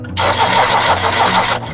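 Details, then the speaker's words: Four-cylinder diesel engine cranked on the starter with a compression tester on cylinder 2: strong, even cranking with a steady rhythm and no hesitation. The gauge reads 280 psi, within standard. "Baik, sekarang kita lakukan untuk pengukuran pada kompresi di silinder kedua. Caranya sama. Kemudian kita baca, kita starter."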